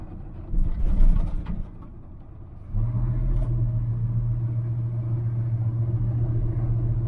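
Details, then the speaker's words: 1981 Chevrolet Silverado on its first test drive after tires, tie rods, U-joints, plugs and exhaust work; steady drone with buzzy vibration underneath, something loose. Driver suspects exhaust but welded it, and says not brakes or drivetrain. "I don't know what that noise is, guys. Hear it? Something's vibrating."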